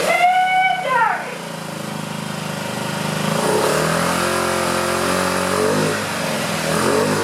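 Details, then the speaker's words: 2009 Honda Metropolitan scooter with a new carburetor, just started after carb cleaner was added. Engine sags as the throttle opens and climbs back sluggishly and unevenly: poor throttle response, carburetor clog suspected. "It's doing a little better. I might have to take the carburetor off. I hope not. But it seems like there's some clog in the carburetor."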